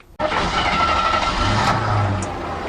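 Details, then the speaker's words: Jeep CJ7 4.2L straight-six, automatic, new MaXpeedingRods carburetor, warm, after vacuum line adjustment: catches and settles into a steady, slightly slow idle, no misses; idle a little low, around 800–1000 rpm. "a little low 800 to 1000 an automatic that's about good"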